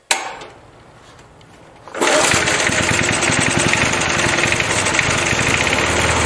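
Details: Briggs & Stratton 3.0 hp Vacu-Jet engine, model 92502, on a Montgomery Ward 20-inch mower, after choke diaphragm replacement for hard hot-starting; starts after a pull and runs steady and even on a hot day; normal running.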